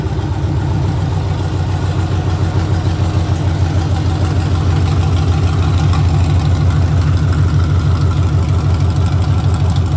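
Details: Gen V engine on a standalone harness (factory harness reinstalled, battery to the starter, ignition power jumped from the alternator), started by jumping the starter solenoid wire. Steady, even low idle at about three pulses a second with no misses, knocks or ticks. Normal idle.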